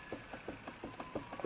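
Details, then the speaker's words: Hyundai Accent raised on jack, wheel rocked by hand; light sharp clicks about six per second from excessive play, worn outer tie rod end, car shook and hopped at speed. "So it seems like this right here is loose. So I'm gonna check that out. But you see it? It's not supposed to be moving like that. It's supposed to be tight."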